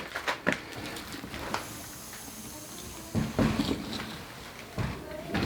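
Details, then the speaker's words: DIY 5-ton heat pump install: wrench clicks and clunks, then a soft steady hiss as the service valves are opened with an Allen wrench and refrigerant fills the line set. "And we can hear the refrigerant."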